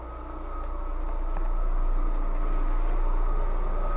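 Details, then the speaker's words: Lada Vesta petrol engine idling gives a thin, steady flute-like whistle under the hood, with air sucked through dried, cracked vacuum hoses. "свистит как флейта слышного ханна пришла вакуумным трубочкам посохли"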